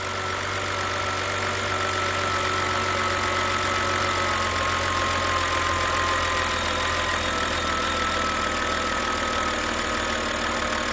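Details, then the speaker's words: BMW N52 six-cylinder at 222,000 miles (about 350,000 km), found with no coolant: smooth, even idle with a steady low hum, no ticking, knocking or rattles; no noises whatsoever. "So that's what 222,000 miles N52 sounds like, and it's just no noises whatsoever."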